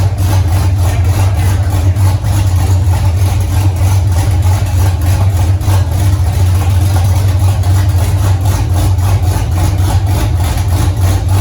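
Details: 1983 Mustang with cammed 5.3 LS from 2002 Avalanche, in park, thermostat not yet open, idle near 750 rpm: deep lopey uneven chop with slight stumble; flat-spotted idle needing tuning, more chop at lower rpm, cylinder temps even.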